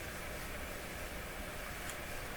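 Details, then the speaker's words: Dominion Electrohome TR50 console receiver, dead on AM and FM, signal generator fed at 100 MHz: only a flat, steady hiss with no tone or program; FM receives nothing, cause not yet found. "100 is right where we are. Not a thing. Nothing whatsoever. Very surprising."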